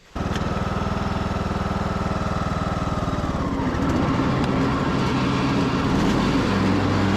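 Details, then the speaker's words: Craftsman YS4500 tractor, 21 hp single-cylinder, after fresh oil, a good air filter, a third carburetor and a new fuel filter: it catches at once and settles into a steady, even chug with no misses or surging, and is charging the battery. Normal running. "it is running good it is charging the battery everything seems to be good level deck"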